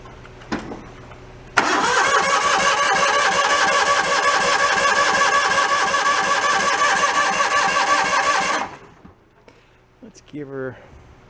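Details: John Deere 318 garden tractor, broke down and hard starting: starter churns steadily about seven seconds, never catches or fires; no-start caused by water in the fuel and a dirty carburettor.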